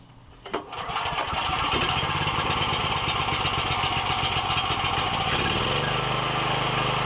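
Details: Briggs & Stratton 7,350 W surge / 5,250 W generator after replacement carb, custom air filter and tune-up, throttle roughly set with no load: pulls over, catches and settles into a steady, even drone holding speed; normal running.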